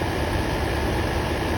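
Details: Land Rover Series 2A after cleanup and new needle and seat, just started, choke initially on, charge light now going out: smooth, even low idle with steady beat, no misfires, knocks or hunting; normal idle.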